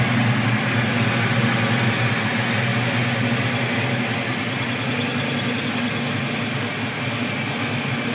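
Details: 1987 Mustang V8 with BBK equal-length shorty headers, 2.5in H-pipe without cats, two-chamber exhaust, after fixing exhaust leak by notching transmission crossmember and seating header flanges: steady deep idle rumble, no ticking; PCV vacuum leak remains.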